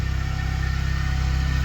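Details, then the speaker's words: Nissan 200SX project car, first time running on its own after sitting for a long time: steady, even low throb with a smooth, regular firing pulse and no knocks or ticks; clean, healthy idle. "oh does it actually run oh [ __ ] listen to that baby purr oh yeah [Music] dude oh it sounds so nice too"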